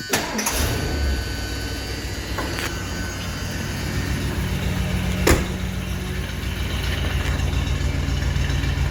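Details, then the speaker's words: 1977 Ford Country Squire station wagon V8 after new dual exhaust, idling: low steady burble with a short bang early on, running evenly and quietly with no misses; much better than before. "Hell of a lot better than it was."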